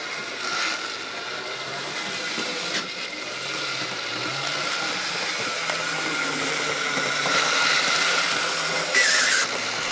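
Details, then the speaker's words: 1970s Bachmann super 8-wheel-drive F9 model locomotive test-run before restoration: high-pitched rattling buzz with gritty, uneven grinding, running very rough and noisy and needing cleaning and service. "and yes considering the fact that she runs like a bag of nails crossed with a dying cat basically it sounds like this locomotive needs desperate help"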